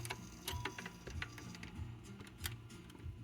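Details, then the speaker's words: Portable Trav-ler record player with controls inside the case and three built-in speakers: irregular light clicks as the changer indexes and drops a record, a little stiff but the cycle completes and works reliably. "It's not the end of the world though. It seems to be working pretty reliably."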